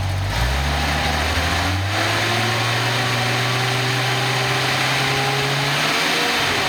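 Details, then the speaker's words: Nissan 280ZX turbo engine on a test stand running on its existing ECU before an eBay replacement ECU is tried: starts, clean idle rising smoothly as the throttle is blipped a couple of times, no misfire or stumble; normal idle and revving. "let's see if it'll start good to go we'll throttle up a couple times"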